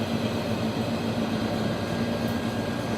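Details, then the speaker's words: MBraun MB-200MOD glove box: scroll pump pulling box pressure down toward -12 mbar, gas removed through valve and pump to exhaust; steady low even hum, faint constant tone, no rattles or pitch changes, normal. "As you can hear that scroll pump operating, so the box, the gas inside the box is being removed through a valve, through the scroll pump, and out to the exhaust."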